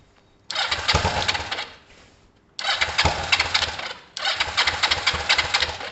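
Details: Kawasaki ER5 twin after valve clearance setting, idling with the right spark plug cap pulled off: short, ragged bursts never settling into a smooth beat; running on one cylinder, and it still starts either side.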